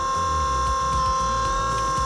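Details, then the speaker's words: Miata with retrofitted 2010 Volvo S40 electric-hydraulic power steering pump, wheels off ground, bleeding air lock to lock; steady mid-pitched pump whine shifts as steering reaches lock. Normal pump whine. "Once it hits lock, you can hear the wine of the pump change."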